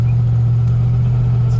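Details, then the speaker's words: Fox-body Ford Mustang that sat over 8 years: deep steady idle that sounds lumpy and uneven; engine missing noticeably, rough running, cause not yet pinned down. "you need to get out and drive it first of all I'll fill in for you no suspension does it have any power yeah exactly it's missing pretty good"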